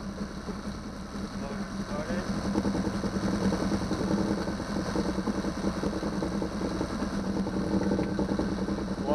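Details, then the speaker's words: 2009 Yamaha 6 hp four-stroke outboard, previously a non-starter, running after troubleshooting and an impeller change; small engine putters at a fairly even idle with no knocking or stumbling, cooling water shooting far out the back; normal running. "Started the motor. Water shoots out in the back really far too."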